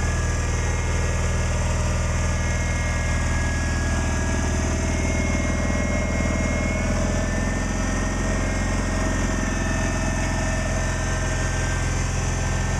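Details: Cub Cadet 1862 garden tractor with recently replaced PTO, low on gas: steady, even low putter at idle, no knocks or misses; engine running smoothly and healthy.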